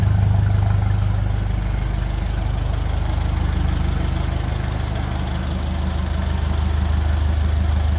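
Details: 1957 Ferguson 35 TVO tractor just after ignition timing was reset to the book specification, started on a mild evening after exhaust spitting was largely cured: regular, even low chuffing around 214 beats a minute without spitting or misses; normal idle.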